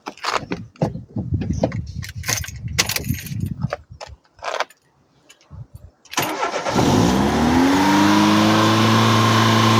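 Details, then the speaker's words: Opel Corsa 1.4i Utility after reconnecting the battery, testing a replacement idle air valve: cranks and settles into a fast, steady high idle that stays up, expected to stabilize near 800 rpm after restart. "remember we're going to start it up and it will idle high"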